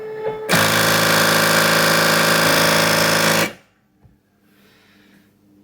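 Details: Second-hand Cricut Expression at power-on, panel lights dark: loud rapid rattle, about four knocks a second for three seconds, then quiet, as the carriage keeps slamming against the side; carriage repeatedly hitting side.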